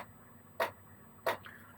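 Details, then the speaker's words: Chinese 8kW diesel air heater in manual mode, gear one (lowest output) after glow-plug warm-up: crisp single dosing-pump ticks about every two-thirds of a second over a faint steady fan hiss; normal operation. "Just waiting for the burner to warm itself up or the glow plug to warm itself up and then the pump kicks in"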